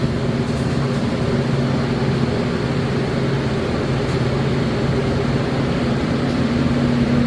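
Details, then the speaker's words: 8.5' x 44' gooseneck concession trailer, kitchen exhaust hood fan (switched at the entry door) running after the window is opened: a constant low hum with steady airflow and no knocks or rubbing. Normal operation. "so just make sure that you once you've opened your concession window flip all three switches get that exhaust fan going"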